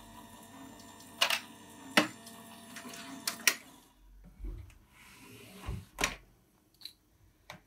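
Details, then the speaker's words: Gemini die-cutting machine: a low motor hum with sharp, irregular cracks as the sandwich of cutting plates is pressed through the rollers. This noise is normal operation. "alors vous inquiétez pas ça fait du bruit mais c'est tout à fait normal donc ici on sert bien on entend que les plaques trac mais c'est tout à fait normal"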